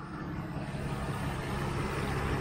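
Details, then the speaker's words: 1992 Mercedes 600SEL at idle after the right exhaust pipe hole was welded. A very soft, even hum with no puffing or ticking; the engine runs smoothly. "the engine runs like a SE machine very good"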